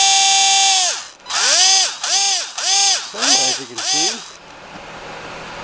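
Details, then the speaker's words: SC-10 RC car bought for $30, brushless motor tested held up off the table: clean high whine swooping up and down with each throttle blip, no grinding or stutter; motor and ESC running fine. "paid 30 for this whole car with all the stuff that came with it and this motor and stuff works"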